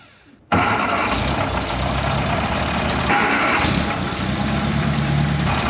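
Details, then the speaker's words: 1961 Mk1 MG Midget roadster, first start after 54 years sitting, clean carburetor: cranks and catches abruptly, then loud, ragged uneven idle with a raspy, very bad exhaust leak before dying on its own; oil pressure uncertain. "It killed on its own."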